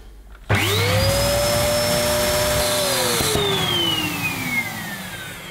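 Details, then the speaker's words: New, barely used Dyson DC01 upright vacuum, switched on in the upright position: motor spins up to a high, strained whine, holds it, then winds down. It sounds blocked, and the owner suspects suction diverting to the hose, unconfirmed. "now I think it's making that noise because it's in the upright position and it's hopefully diverting the suction I think the suction diverts to the hose when you pull the hose off but it was definitely sounding blocked"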